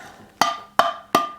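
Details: Canning jar lid: three spoon taps about a third of a second apart, each a hollow, flat knock with little ring, for comparison with sealed jars; this lid hasn't sealed.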